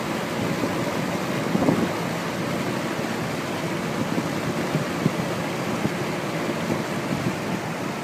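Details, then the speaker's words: Rex Air Controls window fan with a new 1/4 hp two-speed Emerson motor on high, spherical bearings shimmed with rubber gasket strips, belt drive: smooth, even rush of air with no knocking, squeal or grinding; normal fan running. "But yeah, I'm really happy with this fan now. I plan on taking it to work and using it as a studio fan."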